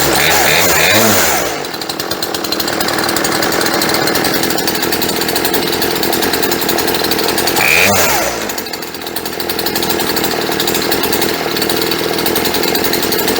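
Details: Chainsaw sat 4 or 5 years, after fuel line replacement, first run with choke off, carburetor not yet tuned: crisp even two-stroke buzz at steady pitch with quick dips and pickups, no misfires; idle set slightly low.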